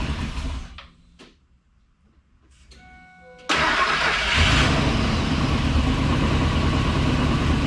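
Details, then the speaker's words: 1999 Ford F-250 with a freshly swapped 5.4 V8, first start after fuelling: cranking, then it catches into a steady even idle with no knocks or misses, purring and running well. "that runs pretty goddamn good listen to that baby purr"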